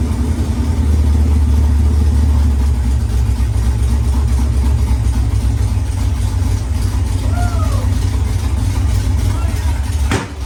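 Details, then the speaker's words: Firebird with newly installed engine, first start after priming, temporary fuel lines: V8 lopes unevenly at fast idle, stumbling beat, a pop near the end, backfiring a lot; runs rough, not yet tuned. "well guys that was it man the firebird runs it doesn't run great it was backfiring a lot but it runs nonetheless"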